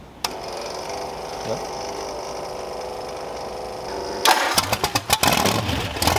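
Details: Supercharged Ardun hot-rod V8, first start, fuel primed beforehand: a few seconds of quiet fuel pump whir, then cranking, catching with uneven bursts and firing up; healthy first start.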